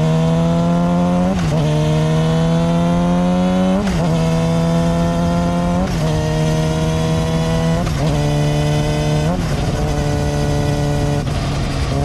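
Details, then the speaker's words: Yamaha R6 at about 25,000 miles with a new chain and solid metal non-dampened front sprocket: a higher-pitched hum rises with revs under throttle, drops at each gear change and fades off the gas; front sprocket chain whine. "What you're gonna listen for is a higher pitch hum noise. Whenever I'm on the accelerator, you're gonna hear it. Whenever I let off the gas, it goes away."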